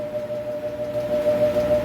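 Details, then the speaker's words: Ingco bench grinder that hums and won't start on its own, given a push start. Steady hum with one clear tone as the motor slowly creeps up to speed; the owner suspects the run capacitor. "so I have to open it up take a look inside um from experience this kind of problem should be the capacitor there's a running capacity inside"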